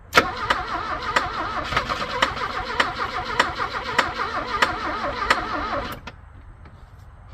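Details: Abandoned Porsche 924 that had sat about 10 years and knocks when cranked: the starter cranks at a steady chug under two beats a second with a brief cough but never catches. Cause not confirmed.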